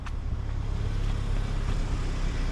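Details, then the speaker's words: Kia idling just after a new Amazon fuel pump was installed; the old pump had been very noisy. Smooth, steady low hum with no fuel-pump whine or buzz; normal idle, checking for fuel leaks. "Aquí tenemos la bomba que no hace ruido, la otra estaba haciendo tremendo ruido."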